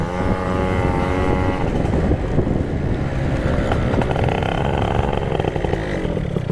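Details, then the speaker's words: Yamaha Jog CE50 70cc two-stroke ridden at about 30 km/h: revs climb under load, then go flat and hesitate through the midrange. A bog, lean or rich unclear; owner feels it is lean. "So at 30 kilometers an hour, the bike does something. It does a bog. Whether it's a lean bog or a rich bog, I'm not entirely sure."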